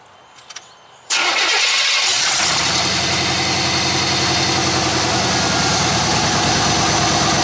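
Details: 1993 C1500 V8 after a tune-up with new plugs, running on open headers with no exhaust fitted: cranks and fires at once, then holds a loud, steady, even idle with a raw bark; runs smoothly.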